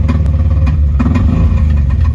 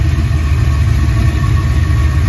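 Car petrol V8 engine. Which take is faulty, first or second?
first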